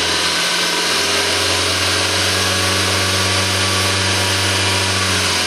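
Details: Suzuki Aerio with a spun rod bearing: steady, harsh run with a constant metallic knock from the bottom end; engine was replaced under warranty.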